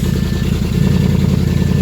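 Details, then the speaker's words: 2013 Audi S7, 42,000 miles, salvage auction car started up; exhaust essentially straight-piped, very loud deep choppy unmuffled rumble, turbo gone bad with smoke showing. "pretty much straight exhaust at this point. Very, very, very loud."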